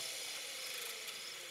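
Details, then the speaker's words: Two coupled 12 V DC permanent-magnet motors with a small flywheel between them, one driving and one as generator, brushes isolated from the casings, with capacitors charged; harsh rapid high-pitched ratcheting chatter on connecting them; it did not sound good, cause unclear. "that didn't sound too good"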